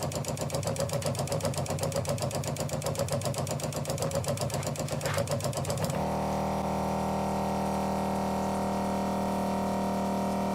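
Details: New USA Adventure Gear ProGear 5300 RV water pump, replacing an old ShurFlo: rapid chattering pulse about four per second then a steady loud hum, a bit louder than the old pump; later judged the wrong pump for the job.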